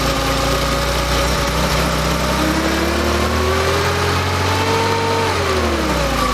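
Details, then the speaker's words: Freshly rebuilt Porsche engine with CIS fuel injection, first start after resealing leaks, warming up before resetting fuel mixture: steady, even idle with a couple of gentle rev rises, no misses or knocks; running smoothly. "just going to kind of crank it up warm it up and set my reset my fuel mixtures and i expect it to be running fairly well"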